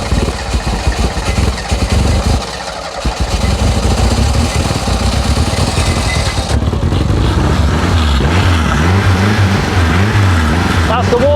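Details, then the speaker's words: Renault 5 GT Turbo barn find, unmoved since 2001, suspected dead electric fuel pump bypassed with a funnel feed: cranks, catches and settles into an uneven, lumpy idle with a few blips on choke; starts and keeps running. "that's the choke out I love that knife sounds wow wow how good does that sound I call that a victory"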